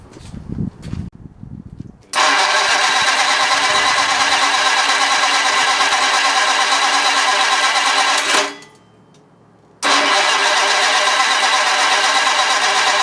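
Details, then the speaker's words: Flathead Ford 8BA race engine on a run stand, coil just changed and tach disconnected: two long bursts of steady starter cranking, about three turns a second, never firing; owner suspects his rebuilt distributor. Cranks but will not start. "Okay so we have literally failed to get this thing to Fire and run and I believe that it is due to my rebuilt distributor"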